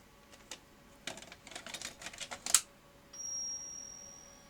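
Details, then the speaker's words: Non-working vintage video recorder under repair, tape inserted: irregular light clicks for about two seconds, then a steady high whine. Tape loading problem, drive belts suspected. "uh that sounds like a loading problem okay that's probably drive belts up here so uh i'll have a look at those"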